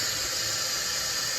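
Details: 922B air brake system leaking down: steady, unbroken high hiss of air escaping from a port on the treadle valve while in neutral, unchanged when the treadle is worked; valve needs cleaning.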